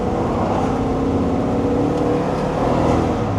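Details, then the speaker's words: 1999 Chevrolet C1500 Suburban, 5.7L 350 small block, with P0300 misfire code, on a test drive: engine drones strained under full throttle, revving without pulling, no power in first and second gear, barely upshifts. "Yeah, it has no power. It won't even get out of its own way. And it won't shift."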